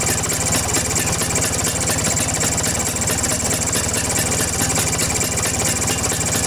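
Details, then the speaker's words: Vespa two-stroke engine idling, carburetor cover removed: fast regular sharp ticking chirp with each firing, air leak past loose carburetor nuts; tightening the nuts cured it. "Karena biasanya suara yang dihasilkan seperti ini berasal dari area karburator, teman-teman."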